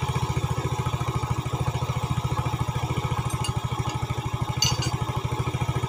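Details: 2010 Yamaha Vega ZR single after rebore with oversize 50 piston, valves lapped, new valve seals and camshaft fitted, cured of rough knocking: steady even putter about thirteen beats a second, no clatter; healthy idle.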